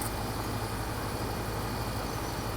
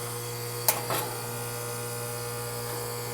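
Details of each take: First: Outdoor AC condenser unit, panel refitted, final test: steady fan whoosh over an even low hum with no rattles, scraping or buzzing. Runs smoothly; problem solved. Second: Outdoor AC condenser unit running on cool: loud steady electrical hum from the compressor, fan not turning, two pairs of sharp taps as it is kickstarted with a long screwdriver; fan won't start, likely a bad capacitor, to be replaced.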